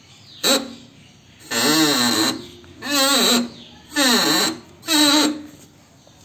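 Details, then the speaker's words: Suzuki Alto front strut: five drawn-out groaning creaks about once a second, wavering in pitch, from a tight, dry strut mount bearing; the fix is to remove the strut and grease the bearing, which also frees the steering. "മൗണ്ടിൻ്റെ bearing tight കാരണമാണ് ഈ sound വരുന്നത്. അപ്പോൾ നമുക്ക് stud remove ചെയ്ത് stud മൗണ്ടിൻ്റെ ബെയറിങ്ങിൽ Greece ചെയ്ത് കൊടുക്കാം."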